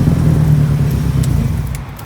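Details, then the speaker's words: Nissan 180SX Type X with SR engine, after a noisy cannon muffler was swapped for a 3-inch stainless lobster dump pipe: a quick rev blip gives a deep, clean exhaust note that settles evenly, with no rasp, drone or rattle; healthy exhaust. "Sounds good. For an SR. Yeah, not bad."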